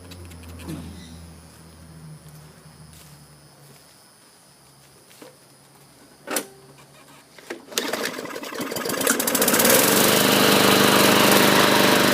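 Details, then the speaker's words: 2014 Murray 500E 22-inch mower with a 5 hp Briggs & Stratton engine, after a carburetor cleaning (water contamination, plugged jets), a new air filter and a used recoil. After the pull it fires and holds a steady, even buzz with no surging. Runs normally. "great sounding machine this should sell rather quickly with the high rear wheels it's just your basic 22 inch cut with the five horsepower briggs and stratton engine"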